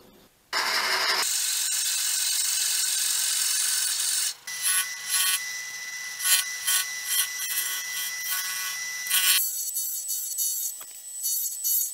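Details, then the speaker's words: Wood turning on a lathe (white oak plug for a birdhouse): hissing cut with a faint buzzing chatter, because the tool rest sits a little too far from the cutting surface. "I'm going to go ahead and change the wrist out because I did you hear that little vibration that was telling me it was just a little too far from the grass to the cutting surface"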